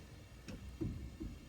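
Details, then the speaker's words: John Deere 6175R tractor in for warranty repair of faulty linkage lowering: lowering solenoid energised, sharp clicks about every third of a second, but tractor does not lower; solenoid sticks. "Також я підключив соленод на опускание і даю от чуєте соленойд нас срабатує ну трактор не опускається"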